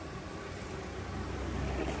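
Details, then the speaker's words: Suzuki Swift AC compressor after repair, engine running: low, smooth hum rising slightly with no whine; previously noisy compressor whine now gone. "Magic natyambahan natin yung tunog ng compressor. Nawala. Ayan wala na pong huni yan."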